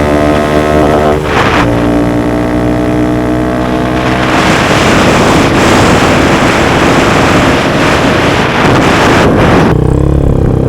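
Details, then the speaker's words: Honda Grom riding just after installing a DHM S1 camshaft, with aftermarket exhaust and valve clearances adjusted: note climbs cleanly through the gears and pulls hard, then wind rush; reaches speed quicker, holds the 60s stronger; normal running. "Boy, as you can see, we're cooking now. We're getting up to speed a lot quicker. We're holding the 60s much stronger."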